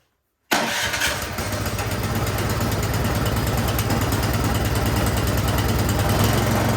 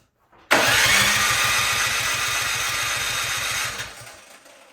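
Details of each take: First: Troy-Bilt snowblower that wouldn't start, after its carburetor jets gunked with old gas were cleaned; started with choke and primer. It catches on the first pull and settles into a steady, even run with no misses or surging. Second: Troy-Bilt snowblower that won't start, with gas and oil in it: steady cranking for about three seconds with no catch or firing; crank no-start, spark to be checked next.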